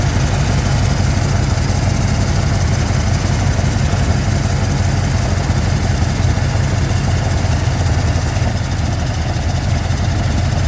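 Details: 1996 Ford Bronco 5.0 V8 at idle, fuel pressure being checked: deep, rough, uneven lumpy thrum from multiple cylinder misfire.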